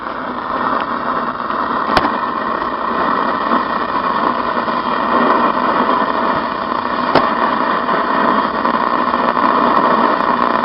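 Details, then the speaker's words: 1972 reproduction Philco Baby Grand radio DXing on AM: constant hissing static with sharp crackling pops; interference noise, owner suspects a 5G tower, not confirmed. "that's interference from a 5g tower i think"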